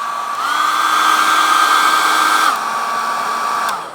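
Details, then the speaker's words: Secondhand two-speed fan heater, filter cleaned, after passing appliance safety test: steady high-pitched fan whine with even airflow rush, stepping up cleanly at higher speed; runs smooth and heats up. "Yeah, it sounds okay."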